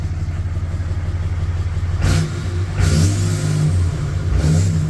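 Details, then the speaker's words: 4th-gen Ram 3500 Cummins with a cheaply rebuilt HE351VE variable-vane turbo, actuator not yet relearned: three quick revs from idle with no whistle, rattle or scraping; sounds like before, maybe slightly more spool with the vanes more closed; normal. "Sounds just like it did before. Maybe a little more spoolie, but I mean that could be because the the veins are slightly more closed, I guess, than before."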